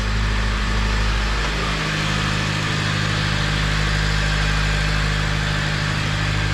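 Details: Honda FG2 (Civic) with a freshly installed junkyard engine, first run at high idle with no check-engine lights: smooth, even petrol idle with a steady drone and light injector ticking, no knocks or rattles; healthy.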